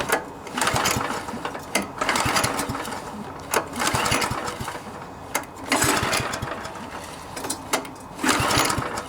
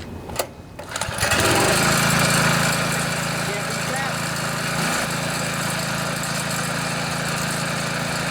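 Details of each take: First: MTD Yard Machines front-tine tiller, 139cc OHV engine, won't start, choke on: repeated rope pulls spin it over but it never fires; suspected carburetor/fuel system needing cleaning, possibly new spark plug. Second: MTD Yard Machines front-tine tiller, 139cc OHV engine, brought in as a no-start; after carburetor and fuel-system cleaning with a clean tank, started on choke. After a few pulls it fires and holds a steady, even buzz with no surging or misfiring: running properly.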